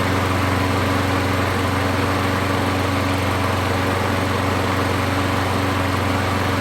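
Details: Craftsman 21-inch 6.5 hp mulcher mower rescued from scrap, with a new coil, resealed valve cover and carburetor refitted, primed and started: the small single holds a fast, even drone with no misses or surging; runs healthy.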